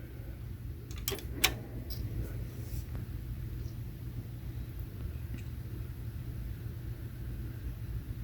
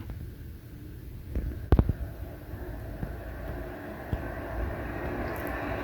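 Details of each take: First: HP Z240 workstation restarted after unplugging power for 10–15 seconds: a few clicks at first, then a low, soft, even fan hum; the fans no longer race wide open from the suspected firmware glitch and run at normal speed. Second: HP Z240 workstation at power-on; a steady, heavy roar of fans running flat out from startup with no speed change, not from overheating; fans stuck at full speed by a firmware glitch, cleared by unplugging power for 15 seconds.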